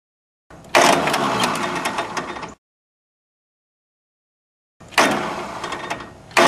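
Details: Small three-cylinder Yanmar diesel after a fuel filter change without bleeding: two rough cranking bursts, the last catching into steady clatter once air is bled from the filter and all three injector lines.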